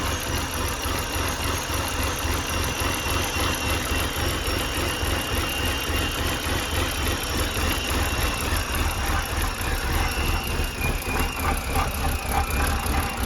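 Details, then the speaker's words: 2011 BMW 328i xDrive with replacement N51 engine from a 2013 328i, first start after swap: uneven lumpy idle sagging toward stall, whistle like major vacuum leak, oil pressure light, then dies; owner suspects something unplugged. "it's definitely running kind of weird i can hear a whistle too like there's a major vacuum"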